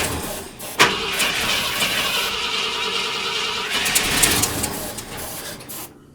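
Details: 1972 Ford F250 camper special, 66k miles, parked since 2007, after rebuilt carburetor and new fuel pump: starter turns it steadily about two or three turns a second but it never fires; cause unknown.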